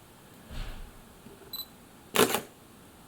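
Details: Olympus PEN Mini E-PM2 camera after IBIS repair, IBIS indicator now steady white, with a lens fitted: two crisp, clean shutter clicks a second and a half apart in a quiet room; normal shutter operation.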